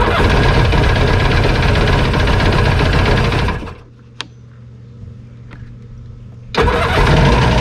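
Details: Jet ski (2001 Yamaha WaveRunner LX800 or 1996 Sea-Doo GTX) unrun for years, first start after plugs reinstalled, on choke: it catches and roars a few seconds, then sags and dies before cranking again; won't stay running.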